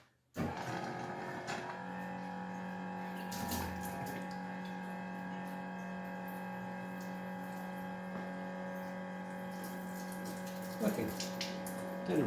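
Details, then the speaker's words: Submarine-build coolant pump just after cleaning, refilled with fresh coolant in a homemade stainless tank: steady low hum with a constant tone over running liquid; owner doesn't recall this noise before, cause unclear; unusual pump noise. "remember it making that noise before. Maybe it's just like really happy that it's clean."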